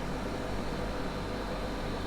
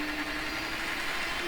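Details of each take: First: Hornby turntable after DCC conversion, its small motor running at about one-third speed with a steady, even low hum and buzz and no knocks; running at full speed makes the motor buzz. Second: Hornby model railway turntable converted to DCC, run at full speed; steady mid-pitched electric motor buzz over a hissy background, likely harmful to the turntable gears, so about a third speed is advised.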